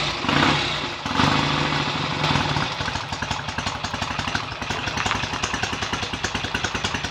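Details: BSA A65 twin on its first run after a full rebuild, smoky from about 1.5 pints of oil poured into the crankcases. It settles from blips into a loping, slightly uneven beat with no knock or clatter; ignition timing may need adjusting. Normal running.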